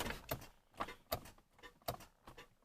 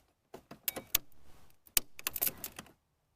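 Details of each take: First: Car with a dead battery, key turned before a jump start: sharp dry clicks about twice a second with no cranking, a telltale sign of a dead battery. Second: AVAPOW A68 6000A portable jump starter connected to a GM side-post battery: sharp relay clicks as the light turns green, showing it is engaged and ready to crank.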